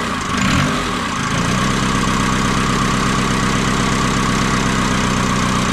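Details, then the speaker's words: Ford Transit 2.5 diesel, first start after engine rebuild and install; lumpy, irregular idle around seventy beats a minute, running rough; owner suspects an air leak in the fuel system, likely old rubber hoses near the tank. "Ну в принципі двигун запускається працює не ідеально як виявилося в чому проблема проблема в тому що десь є підсос повітря по паливній системі"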